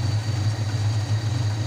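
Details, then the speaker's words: Suzuki Forsa engine idling steadily with a low hum and no belt squeal after replacing the worn alternator V-belt, which had squealed loudly because it stayed loose even at full adjustment. Normal idle. "demikian tadi video tutorial penggantian fan belt alternator sudah selesai bisa kita lihat sudah tidak terdengar lagi suara berkedip jadi kita pastikan pengisian besi normal kembali"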